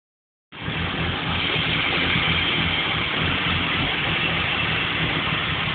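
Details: BMW 325 without VANOS: uneven, lumpy idle with a low throb that keeps hunting instead of settling; rough idle with the cause not yet identified.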